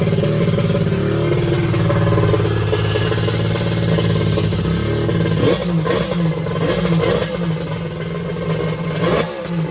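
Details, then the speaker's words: X2 two-stroke that had been hard to start, restarted right up: revs then settles into steady, slightly uneven note with some clatter, keeps running; later hot, about 150°F front cylinder, 186°F head; starting fault not fully solved. "i'm gonna see if i can get it going again and run it for a few minutes [Music] [Music] okay it started right up my"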